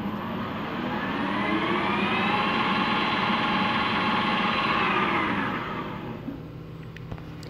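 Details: Refurbished Harrison M250 lathe, 0.9 kW motor on a 1.1 kW inverter: even whirring run with a faint steady gear whine, spinning down after about five seconds; healthy and smooth.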